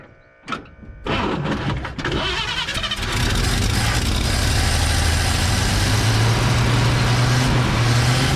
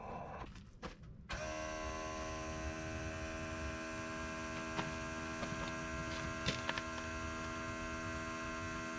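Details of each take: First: Old Chevy flatbed truck "Fred", after finding a pinhole in the fuel line between tank and fuel pump, ethanol gas: cranks, catches, then settles into a low, slightly uneven, lumpy idle; carburetor not idling well. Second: Old flatbed truck's electric fuel pump, heard from underneath when switched on after the old pump clattered without picking up fuel: it kicks on and settles into a smooth, steady hum with even whine and no clatter, sounding better.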